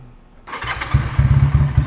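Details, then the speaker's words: Magnum 250 Chinese bobber, a twin with two spark plugs and 360-degree firing: the engine catches, then settles into a deep, loping idle of even, punchy exhaust thumps with no knocks or misfires, then revs. It sounds like a bigger bike. "it sounds like a big bike so every time you you bring this on the street they they're going to ask you how much cc is it"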